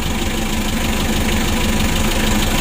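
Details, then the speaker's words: Mitsubishi L300 diesel at warm idle, hard starting, blowing by, compression leaking into radiator with bubbles: heavy low uneven idle with shaking thump, engine vibrates, sounds rough when revved; worn piston rings suspected. "coba kita longgarkan seperti ini ya mesinnya bergetar teman-teman ya kalau masih dingin tadi mesinnya ya Luar biasa Coba kita gas mesinnya serasa kasar suaranya kasar teman-teman"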